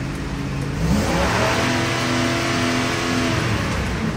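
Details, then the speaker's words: 2006 Ford F150 after limp-mode repair (melted O2 sensor shorting and blowing fuse 32) and codes cleared: engine held around 2000 rpm with a steady, even note and no misfire or sputter, unlike before. "And right away, I can tell by how the car is idling and RPMs, she's back to normal, because before when I held it at like 2000, you would hear it misfiring or sputter, but right now she's holding steady. No misfires."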